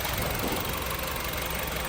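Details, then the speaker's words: Honda City with engine shake, revving only to 2,000 rpm, reaching just 40 km/h, and a flashing engine light: uneven, shaking idle with a stumbling exhaust beat from a dead cylinder. "คันนี้HondaCityCityมีปัญหาเครื่องยนต์สั่นนะครับรอบนะวิ่งได้แค่2,000รอบแล้วก็ความเร็วได้แค่40เครื่องยนต์กระพริบ"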